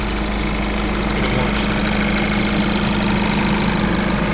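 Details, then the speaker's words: VW/Audi diesel after a turbocharger replacement with the DPF cleaned and refitted. It starts and runs with no oil leaks, giving even diesel clatter at a steady idle with no whistle, and sounds healthy. "Everything is completely done, all turbo installed, carts installed, and it starts, it runs, no oil leaks, nothing."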